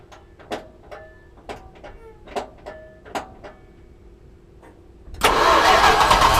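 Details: 1973 Plymouth Cuda, 340 small block V8, not run in about 20 years, after oil pressure line replacement: a few irregular clanks and cranking attempts, then at about five seconds it catches and roars into a loud steady run.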